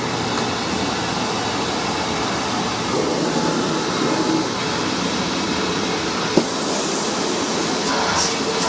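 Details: Hoover WindTunnel vacuum test run after rebuild: loud, steady roar with high airy whine, no grinding or surging; motor is known as loud on this model, healthy.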